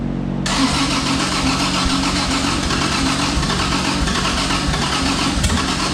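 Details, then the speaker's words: Twin-turbo Honda J35 first start on fresh oil: fires into a lumpy, uneven, stumbling idle, missing on a couple of cylinders; misfire traced to shorted injector wiring. "all right well sounds like it's missing on a couple holes I probably got some injector issues"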